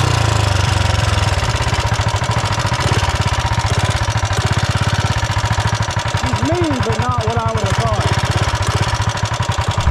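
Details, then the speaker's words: 420cc big-block single in a Mega Moto chassis, riding around the yard, GoPro mic: fast even thumping with crisp ticking on every beat following engine speed; valve train noise from loose lash, engine lacks top-end power. "I mean we've had Big Blocks on many bikes before and it like it's turkey out of the hole but it isn't performing in the top end and they do have a lot of valve training noises the GoPro picks it up really we"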